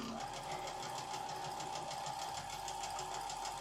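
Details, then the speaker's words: Sewing machine struggling through bulky quilt seams: quiet, uneven ticking about twice a second over a soft motor whir. The owner suspects a slightly bent needle clipping the presser foot and may replace the needle. "it sounds like my needle might be making a little bit of noise too i might have to change that out let's wait and see i can usually tell when my needle is starting to go because i can hear it like clicking"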